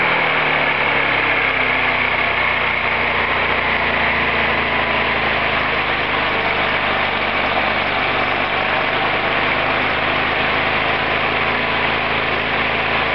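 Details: Roketa MC-54-250B scooter, 1730 miles since July 2008, now stalls at every stop. Small engine revs up and drops back unevenly, sagging under brake load as if about to die. Cause: intake and exhaust valves had no gap at TDC, fixed by valve adjustment.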